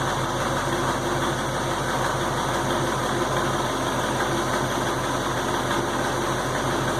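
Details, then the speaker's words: 1968 Ford Mustang, fully warmed up, idling in gear: faint regular clunk pulsing under engine hum; occurs only when warm, smooth when cold, cause unknown. "The noise under the just general hum of the engine. It's kind of a clunky, rhythmic clunk, clunk, clunk, clunk, clunk, clunk."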